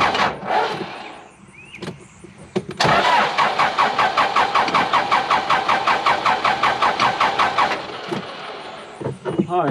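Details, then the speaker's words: Cat 416C backhoe diesel, hard to start especially after wet conditions: even starter churning at several compression beats a second for about five seconds, never catching. Cranks but won't start; owner suspects it isn't getting diesel and reprimes it. "let's do it again it's almost like it's not getting diesel"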